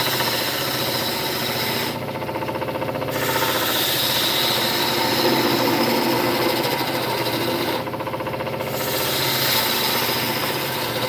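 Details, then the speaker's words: Wood lathe turning a walking stick: tool deliberately bears against a post to stop vibration, producing steady fast rattling chatter about four per second; noisy but helps cutting, not a lathe fault. "So if you're wondering what that noise is, I've got a post here that's rubbing up against. So when I push the tool on the wood, it hits that post and doesn't just vibrate. Da-da-da. So it's a little bit noisy, and I'm sorry for that, but it really helps the cutting."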